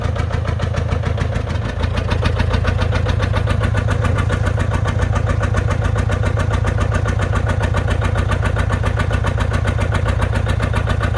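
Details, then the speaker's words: John Deere 830 Industrial diesel, first start in at least 20 years after water pump repair and fuel bleeding, belt-started: even, steady beat about 2.5 pulses a second once number one cylinder fires; both cylinders running smoothly. "Did you hear that? It's a lot smoother now. So that number one cylinder is firing now."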